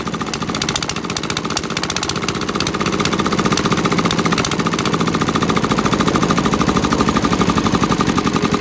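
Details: 1979 Sian single-cylinder diesel, revived after years sitting (rusted seized injector pump, pitted valves, weak rings), hand-cranked start with compression release: steady, even knock at slow fixed rate, crisp regular firing; healthy start and run.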